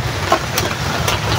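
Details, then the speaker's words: Small water pump motor before its bearing and broken impeller are replaced. It gives a steady, very loud, harsh rumble with a gritty rasp: worn motor bearing. "ano sa ano anong narinig niyo mga idol? Maingay or napakaingay? Napakaingay niya mga idol."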